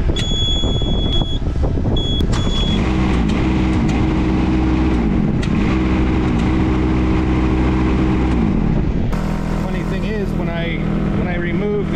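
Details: Mini excavator diesel catches and runs, then the note drops abruptly and changes, suggesting it cut out; owner suspects an intermittent ignition switch or key cylinder wiring fault, not confirmed.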